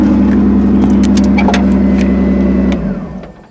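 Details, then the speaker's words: 2002 Ford Taurus derby car after its third derby, idling on all 6 cylinders again once the damaged plug boot was made to spark: even, steady idle, no stumble or engine shake, then the engine is switched off and spins down. "So now, previously the motor was shaking just a little bit when it was running. Now this motor is completely smooth."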